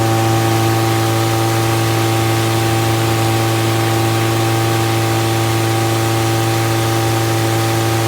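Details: Fully rebuilt Triumph Spitfire 1500 four-cylinder on run test, electric fuel pump, about 1000 rpm idle, oil pressure around 80 falling toward 70 psi, not yet fully hot; smooth steady open-exhaust drone, no ticking or knocking; healthy.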